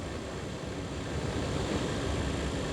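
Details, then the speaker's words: Nissan Micra K11 heater blower motor at full speed after cleaning, ignition on accessories, previously stationary: strong, even rushing air with steady motor hum, no scraping or ticking; blower running normally, though owner expects it may become problematic again. "let's try full power yeah we're cooking with gas now"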